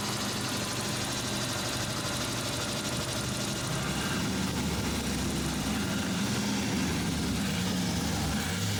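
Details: Suzuki Samurai after replacing the fuel pressure regulator (hard warm starting before): engine catches and settles into a steady, even, healthy idle with a clean firing rhythm and better throttle response.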